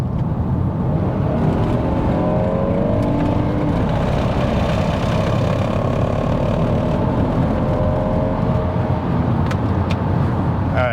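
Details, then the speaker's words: Kia Telluride at 130,000 miles on a test drive: a heavy, shuddering low rumble fills the cabin while accelerating and cruising, traced to a front CV axle with a ripped, grease-leaking boot; brakes and suspension ruled out, axle to be replaced. "So, you can feel like everything in the car vibrate and that's why it's making making those noises."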